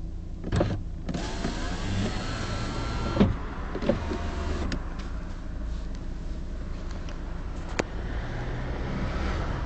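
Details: Power window: motor whirs down, then a sharp knock as the glass stops at the bottom of travel; only this window does it, others stop quietly; only the door card was removed, and nothing restricting was found behind the plate.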